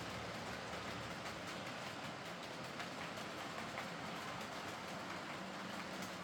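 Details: Heljan Class 23 model loco on track after split gears replaced with 3D-printed ones: steady even motor whir with light rail clatter, no kicking or jerking; runs smoothly, remaining issue suspected from motor mounting or drive shafts.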